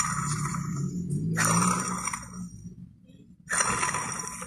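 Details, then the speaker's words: Removed water pump from 2018 Chevrolet Beat/Spark 1.2 L, leaking coolant with lots of shaft play: turned by hand it gives scratchy, squealing bursts from the worn bearing; pump replaced. "Bueno aquí está la bomba como les comenté tiene juego se ve cómo se mueve y también ahí se escucha claramente"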